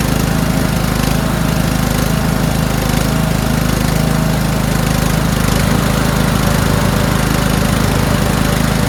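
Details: Toro Wheelhorse 1438HXL with repowered 17.5 hp engine, after mower deck belt and pulley replacement: smooth constant beat with blades turning, no knocks, squeal or labouring; everything works. Normal running with deck engaged.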